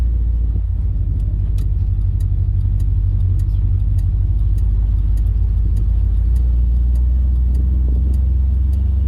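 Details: 1956 Dodge driving before sound deadening is added to the roof, camera on a stand in the cabin; engine idled down after start. Constant deep boomy drone, almost all low rumble, drowning out voice; bare roof panels resonating, cabin resonance drone.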